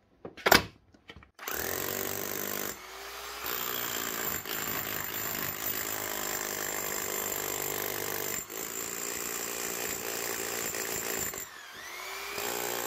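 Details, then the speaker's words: Keyang KH5000M small chipping hammer after a mini service: strip-down, washout, two new O-rings, grease and rebuild; the motor is still perfect. A fast, even hammering buzz held for several seconds with brief pauses, beating like new. Normal hammer action. "Gets her running again like a new hammer. Motors are still perfect on it. Now she's beaten like she should."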